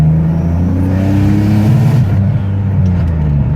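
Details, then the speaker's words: Turbocharged Nissan Maxima, full-throttle pull: rising drone under boost, then the rise flattens and revs hold back, car not wanting to go past about 4,500 rpm; power cut under boost, cause not identified. "you know the car knows it doesn't want to go past four and a half"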